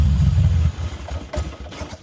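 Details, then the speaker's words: Carbureted 2003 Harley-Davidson Heritage Softail V-twin, cold, choke released before warm-up: a deep lumpy idle under a second, then it stumbles with a few weak pops and stalls, as expected when not warmed up. "But when I let it go, if the bike isn't warmed up, it will die and stall out on me"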